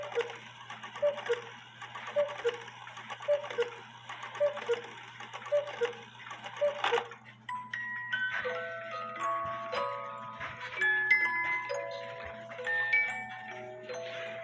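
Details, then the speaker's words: Cuckoo clock after fix (high-note wire reattached, 8-point star wheel freed from movement): steady ticking, two-note cuckoo calls at even unhurried pace; strike normal. "And second of all, the 8-point star wheel was touching the movement. So I backed off the movement, and now you can hear it cuckoo."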